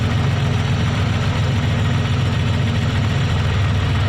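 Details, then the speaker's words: Pontiac Fiero race car idling low with an uneven, loping beat; unplugging cylinder 6's injector changes nothing, so that injector is dead. Owner suspects a mechanical failure, not wiring; replacement injector ordered. "But this one over here, number 6, unplug it one more time. No change at all. So what we have here is a dead injector."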